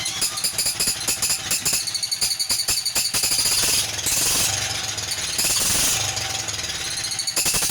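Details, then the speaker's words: 1947 Whizzer Model H engine, first run after restoration: fast irregular ticking with squeaky chirping on each firing pulse, caused by incorrect copper head gasket from an NE5 reproduction Whizzer leaking. "And also in that video, you probably heard the kind of squeaky, like chirping noise. That was because the head gasket I have on it is actually from an NE5 reproduction Whizzer."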